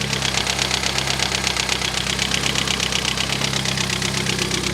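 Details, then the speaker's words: Cheap Mini Cooper S, first start after only a battery charge: steady idle with fast, light ticking about two to three per second, tappy valvetrain; loose rocker cover bolts suspected, exhaust very loud and possibly misfiring. "It runs. It literally runs. Does sound very loud though. I mean, the engine sound a little bit tappy. Like I said, it probably doesn't help because all the rocker cover bolts are loose."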